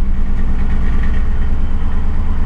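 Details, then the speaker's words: 2006 Crown Victoria Police Interceptor, nearly empty fuel, exhaust smells bad: deep low idle rumble with uneven, jittering shudder; smooths somewhat when revved; rough idle, cause not yet found. "it's got that jittering shake and idle"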